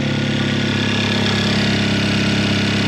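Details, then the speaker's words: Kia Optima K5 after a year of neglect, first start after fitting a big wastegate upgrade with a dump tube: a steady, even idle with a firm low drone and a slight airy hiss; a normal cold start. "and here we go oh my gosh yo I could hear the dump tube it turned on it's good so"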